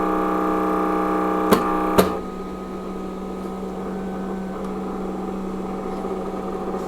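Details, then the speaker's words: Trust UPS PW-4130M running on battery: the exhaust cooling fan gives a steady whirring hum with a couple of sharp clicks, then settles quieter. The bearings are suspected to be worn out. Noisy cooling fan. "But ultimately yeah the bearings I think in um in some exhaust fan are pretty much done"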